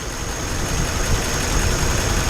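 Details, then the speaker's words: 1950 Ford V8 Pilot flathead V8, converted back to original points-ignition distributor and carb with direct mechanical pump feed, started from cold: steady, even low rumble at idle, no misses or knocks; idling as it should. "yeah sounding pretty sweet it's nice to hear it again and it's nice to see it starting from cold like I said once we take it down the road it may be there are a few little setups to do setup changes mixture I mean the idle sounds about right so on its own yeah it's idling just as it should do"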